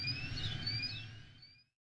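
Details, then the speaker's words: Dresser-sized metal cabinet in Louisville's NuLu, a Verizon small cell site beeping for years from an equipment issue: thin high electronic tone with a fainter second tone, under two seconds, then stops. Periodic alarm beeping. "He tells me the beeping that people were hearing was coming from a Verizon small cell site."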